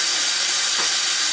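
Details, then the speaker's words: Kitchen sink drain with no proper vent: as the water goes down, a short, harsh sucking hiss comes from air being pulled through the trap, which siphons it. "so the plugin noise is this it's actually sucking it's not being able to be vented so it pull it from the trap"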